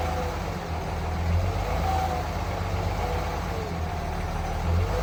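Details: Third-generation Ram Cummins diesel idling with a faint, constant howl over the clatter; owner first suspected the turbo or fan clutch, but stethoscope checks traced it to a bad alternator bearing.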